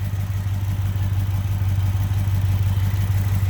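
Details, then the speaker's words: 1971 Chevrolet C10 pickup, worn 307 small-block V8, 4-speed: lumpy, uneven idle with a low thudding beat about three per second; rough misfiring idle, missing on cylinders with a vacuum leak. "let's go ahead and start it up you can hear uh the kind of catastrophe of this small block"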